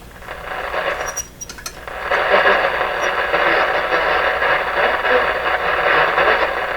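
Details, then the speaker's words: Westinghouse 981X shortwave receiver after output transformer replacement, on a shortwave band: loud harsh rushing hiss and crackle swamping everything at low volume; excessive noise and gain, cause not yet found. "another that's pretty crazy sounding let's see how crazy it is up here now if i hardly turn the volume up and it's all there"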